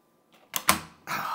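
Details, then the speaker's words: GOOKYO spring door closer, newly installed on a hinged door with rod pushed fully in and high tension: soft swing, then crisp latch click and solid thump as door shuts fully; normal closing. "oh yeah beautiful supposed to really do this 10 out of 10 times Ah that's sweet listen to that sound guys"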